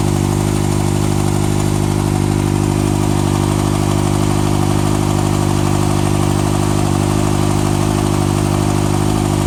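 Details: 2014 Kawasaki ZX-6R ABS, 8000 km, Graves slip-on exhaust: light, fairly even tick about three per second over the engine note at idle; source unknown.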